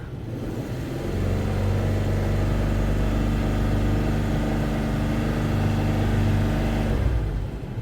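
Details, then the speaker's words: Warm 3.0 V6 in a $500 Toyota 4Runner on old fuel, normal idle oil pressure, not overheating: revs up smoothly and holds steady with no knocking or ticking, healthy engine. "But so far, no knocking, nothing like that. It sounds good. It has good oil pressure."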